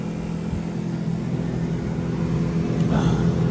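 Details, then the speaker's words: 1985 GMC K15 heater blower on jumper-cable battery power after mouse-nest cleanup and reassembly: low, steady hum with a soft rhythmic whirr, no squeal or scraping; blowing out of the vents, working normally. "Sounds like it's working in here. It's blowing out of the vents."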